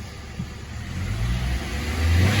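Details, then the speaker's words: 2012 Nissan Altima just after throttle body replacement for a P2101 code, warming up before any idle relearn: the engine revs smoothly and cleanly from idle with no stumble or hesitation. Normal revving. "revving it up a little bit more or less what I'm going to do is I'm going to take it for a drive and see if it's feeling okay"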